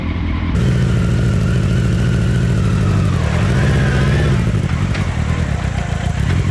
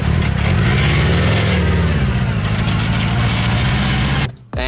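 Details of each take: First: Mini trophy truck project in four-wheel drive with new lower gearing, bigger tires, new chain tensioner and stiffer front shock preload; engine pulls and revs under load with a low, even drone, no chain slapping or rattling: quiet chain drive. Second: Mini trophy truck project with four-wheel drive, engine revving hard under a loud rattling chain whir from the small tensioner sprocket between engine and secondary transmission. The noisy sprocket is to be replaced with a softer longboard skateboard wheel.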